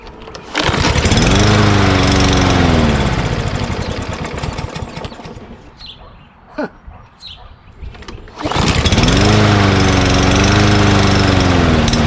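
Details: Mower after hard starting and the carburetor being banged: it runs up strongly, sags away and dies, then picks back up at about three and a half beats a second. Owner suspects a sticky float or bowl debris.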